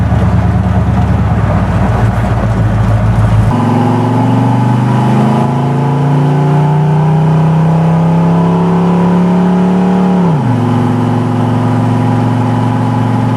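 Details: Refreshed Chevy 350 V8 with TH350 transmission and B&M shift kit, first drive out of the driveway: smooth even V8 note climbing cleanly with throttle then easing off, no knocks or ticks; temperature around 170–175, good oil pressure, 14 volts.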